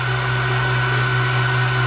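Loud, constant hum with a steady mid whine riding over it and no rubbing or surging: the separator bowl is spinning smoothly.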